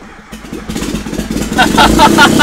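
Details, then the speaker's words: Mazda Miata, starter solenoid fed direct 12 V from battery: starter churns briefly, then engine catches and rises into a ragged, building run. "what we're going to do we're going to hook a wire up to the starter solenoid and give that thing straight 12 fold from the battery to see if the car will start"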